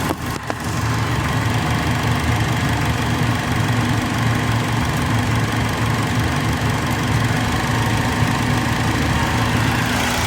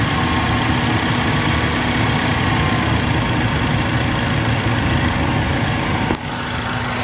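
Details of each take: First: Acura RSX with P1259 code in limp mode, VTEC solenoid given direct power at idle: steady unchanging idle drone with no pitch rise, so solenoid probably not working; powering the VTEC oil pressure switch did change pitch, owner suspects that. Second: Acura RSX with P1259 code and limp mode: steady idle, then an abrupt drop in tone and level as VTEC engages when the VTEC solenoid is powered directly from battery positive.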